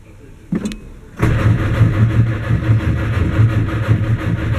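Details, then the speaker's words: 1959 Mercedes-Benz 180D/190 diesel, new Bosch glow plugs, Optima battery, rebuilt starter: click then even low chugs with no firing at all; cranks, no start. Owner suspects flooded glow plugs from poured diesel or bad glow plug wiring. "Absolutely nothing. No detonation, no nothing."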